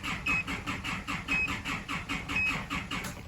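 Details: Isuzu D-Max diesel cranks with even, rapid starter churning, about five or six beats a second, never firing; scan tool shows high rail pressure but no engine speed signal, with EGR and camshaft position codes; cam/crank sync suspected, not confirmed.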